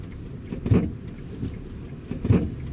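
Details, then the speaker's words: Hyundai Solaris driving with empty trunk, camera on rear seat, cold weather: dull thumps about 1.5 s apart over low road rumble, creaking and crunching on bumps, louder in reverse; owner suspects worn rear beam bushings. "По звуку действительно похоже, что что-то дребезжит в багажнике. В действительности багажник пуст. Я специально всё убрал, чтобы послушать. Скорее всего, дело в втулках задней балки."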